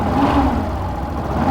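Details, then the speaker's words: 2017 Yamaha Fazer 150, revving: a steady humming whine over the exhaust that resembles a bad bearing or clutch noise but comes from a burnt coil in the stator. "agora eu vou mostrar para vocês Que esse barulho tá aqui no estator galera alguma das bobinas está queimada"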